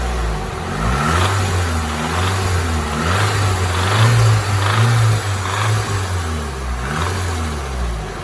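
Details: Nissan SR20DET rebuilt with forged internals, under 500 miles: idles fine, but above about 1800 rpm a rough rattle/knock rides over revs; lifters already re-bled, timing chain slightly loose; owner suspects rod knock.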